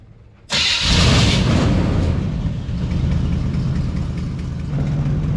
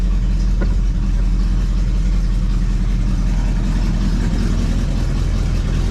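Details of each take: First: 1973 Chevrolet Chevelle Malibu after an electric fuel pump repair and fuel gauge repair, returning from a road test: catches instantly, revs, then settles into an even, steady idle with no misses or knocks; sounds good. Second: 1973 Chevrolet Chevelle Malibu V8 idling right after a new electric fuel pump got it running: steady deep idle with a loose, uneven puffing chuff from a hole in the muffler; a fairly decent exhaust leak.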